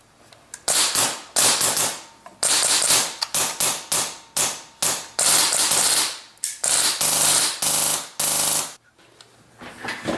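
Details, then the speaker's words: Polarstar airsoft gun firing normally as a comparison against a jammed one with folded bucking lips: crisp sharp cracks in quick, even bursts with clean stops between them. "I'm going to shoot my Polarstar, see the noise comparison. Alright, here's a noise comparison with my Polarstar."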